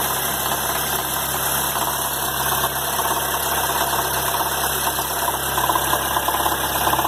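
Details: 2011 Chevrolet Agile LTZ 1.4 engine: a loose, uneven tapping rides over the idle at roughly a hundred-some per minute; owner asks what causes the noise: abnormal engine noise, cause unknown.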